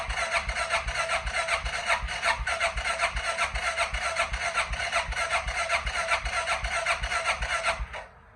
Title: 2005 King Quad 700 Hard Starting 1